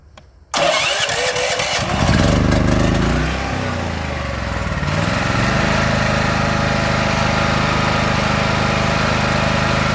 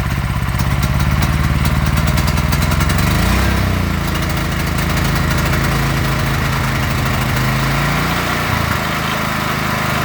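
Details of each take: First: Predator 8750 W inverter generator fitted with a Nash tri-fuel kit, gasoline tank and carburetor drained, running on propane: quiet, then catches within a couple of turns and settles into a steady, even run. Normal start and idle on propane. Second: Predator 8750 W inverter generator with a Nash tri-fuel kit on propane: with the idle block nut backed out too far the note wavers and hunts, dipping and surging unevenly at idle. Rough running from a misadjusted idle block.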